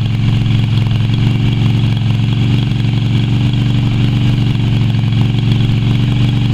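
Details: Yamaha Virago XV250 twin after six years in storage, oil topped up but not changed: uneven, stumbling beat at steady idle revs, still running rough.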